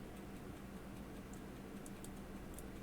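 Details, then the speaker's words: 1890 Elgin National convertible pocket watch, crown being wound: faint irregular ticks as the click spring ratchets, though owner suspects it may be turning the mainspring arbor without winding the spring. "I can hear some ticking going on which means the click spring that you saw earlier is is clicking"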